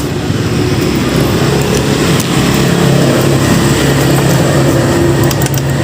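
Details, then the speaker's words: Yamaha Mio GT scooter with piston rings worn by age, spark plug found wet with fuel mixed into engine oil; after a plug change it starts but runs very smoky with an uneven, lumpy, irregular idle from worn piston rings. "sudah menyala tapi kondisinya luar biasa Asep sampai mana-mana dan suara mesinnya ketemu sama Mio GTI tepatnya"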